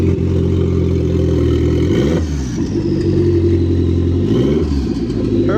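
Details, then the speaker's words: Turbo Mitsubishi Lancer, first start after turbo install and about two months off the ground: starts and revs twice, climbing smoothly and settling cleanly with no misses or knocks; normal revving. "So started up, rev it a couple times, sounds good."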